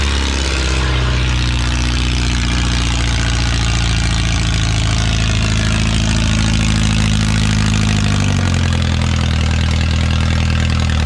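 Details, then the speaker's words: Original Renault 4CV four-cylinder (circa 1949-52, welded cracked block) reassembled after ~70 years in parts: catches and settles into a steady, even low idle with no knocks or misses, revs easing down near the end; runs normally. "hell yeah successful perfecto well i think it's warm enough"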